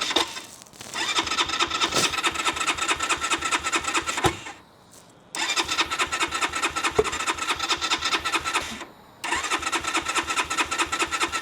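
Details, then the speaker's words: Keeway RKR 125 motorcycle, 6,430 miles, push-button start: three fast, even cranking bursts with short pauses, never catching; cranks but won't start though fuel pump runs and relays click. Owner suspects a bad battery, not confirmed. "okay um yeah that doesn't want to start sounds like it wants start but this isn't looking good let's try it again come on"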